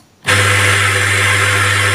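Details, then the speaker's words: 14kg clothes dryer (spin) motor after repair of its badly burnt, shorted winding, with its 8 µF capacitor tested fine, run on the bench: starts straight away, steady even hum with a clean whine, turning right, no rubbing or grinding; normal. "langsung berputar ya, betul ke arah kanan ya, berputar ke kanan ya, normal."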